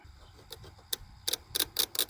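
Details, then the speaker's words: 1999 Chevy Express 2500 WT van, crank-no-start fuel system diagnosis, fuel pump relay bench-tested by jumping 12 V across coil pins 85/86 to ground: crisp, sharp clicks repeat irregularly as the coil energises and releases. The relay switches normally. "get a good ground and you can hear that cycling so we know this relay's switch device is working"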